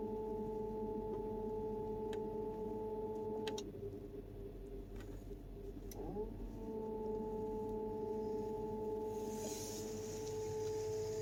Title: 2004 Volkswagen Touareg 4.2 whining noise.